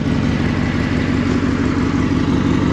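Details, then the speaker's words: Suburban garden tractor (1968 Hydro-Trac 12 or circa-1974 SS16) engine running after fresh gas and a 30-minute run, holding a smooth, even idle with a steady low drone and no misses; best it has run since owned; normal idle. "that's the best it's ran since I've owned it I think with some fresh gas and maybe changing the plugs and cleaning the points and the few things that should run really well"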